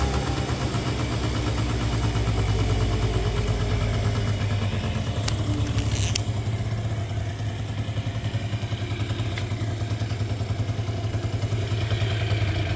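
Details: 2009 Yamaha Zuma 50 two-stroke scooter, after reassembly before a test ride: low, even popping idle with a steady beat, no knocks or rattles; settles and runs cleanly, normal idle.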